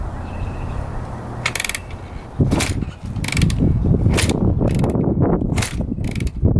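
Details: 2006 Honda CRF250R, fully rebuilt by the previous owner but never fired, kicked on choke with fuel flowing to the carb: ratcheting clatter and compression pulses, no start, odd sound like a loose cam chain.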